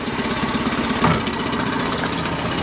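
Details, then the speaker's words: New Yamaha outboard on a dinghy, first light test run around the marina after adding engine oil: smooth even low-speed rumble with steady pulse, no misses or knocks; normal running. "oh it's so nice having that lever right there it's got that classic Yamaha kind of Rumble to it"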